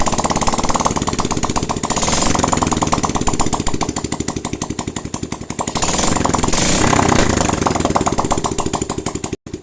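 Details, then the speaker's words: Honda single-cylinder motorcycle after refitting cylinder head and carburetor for a hard-start problem with good spark and fuel: engine pops along at steady idle, briefly cutting out then firing again, now running. "malam nih mesinnya sudah bisa hidup kembali ya para brader semua"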